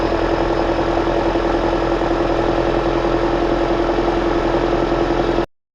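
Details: 2009 Toyota Corolla after alternator replacement and belt tensioning, checking whether the earlier loud noise is gone: steady, even idle with a smooth hum and no squeal or rattle from the front of the engine; sounds healthy.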